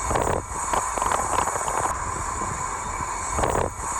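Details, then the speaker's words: Vauxhall Corsa brakes squealing intermittently while driving, apparently from the front: a thin, high steady squeal over road noise, fading and returning; worn pads, resolved by replacing pads and discs. "Guys, here we've got a Vauxhall Corsa with a problem with the brakes. Just keeps squealing."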